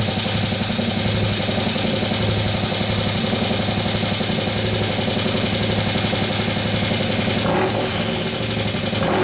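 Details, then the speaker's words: 2015 Harley-Davidson Road Glide, 103ci Twin Cam, just after a camshaft install: quick, light ticking, about four a second, over an uneven V-twin idle. The hydraulic lifters have not pumped up yet. "I don't easy out the real high European running black until the lifters pump up but this mother is I got no control over our cam"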